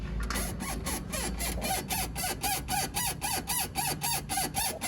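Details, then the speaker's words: Renault Twingo steering rack: rhythmic squeaking and creaking about four per second as the wheel is rocked back and forth; both rack dust boots are torn, rack to be removed for repair. "aquí estamos con el Daddy y llega porque tiene un ruidito en la caja de la dirección"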